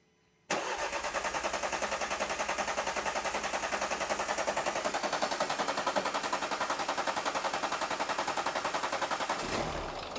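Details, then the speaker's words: 2012 Renault Scenic 3, 1.5 dCi K9K diesel, started after a fuel filter change and priming with the bulb: catches after a short crank into an uneven, lumpy idle that may stall. Rough running from air in the fuel system. "Now, it's going to be a bit lumpy and struggle for a minute. It might even stall out."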